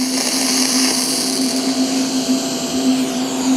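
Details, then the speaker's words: TIG welding galvanized mild steel pipe on a side not cleaned of zinc: steady buzzing arc hiss broken by irregular pops that throw spatter onto the tungsten; more smoke and burn-through, though it still welds. "this side I didn't clean up as much can even hear it it'll still weld but you got to watch out you get tired of getting that popping onto your tungsten it just gets to be a pain in the butt"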